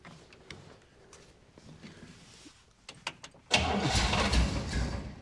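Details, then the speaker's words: 1961 Buick Electra 225, 401 Nailhead V8, carburetor needing rebuild: starter cranks, engine catches and roars briefly, then sags and dies within two seconds, won't hold idle; owner suspects idle set too low, cause unconfirmed. "I wonder if I just adjust the the idle up a little bit if it'll stay running. Maybe it's a little bit of throttle."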